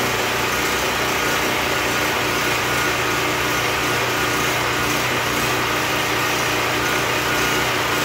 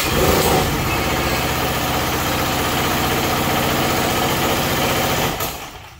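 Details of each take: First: Predator 4375 W generator after stator and rotor replacement, no load, choke used on start; steady, even high-pitched drone with no misses, knocks or hunting; outlets confirmed at 110 V: normal running. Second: Predator 4375 W generator that starts but barely runs and makes no electricity, started on choke: engine catches then labours unevenly, lurching about three times a second before dying; engine bogging.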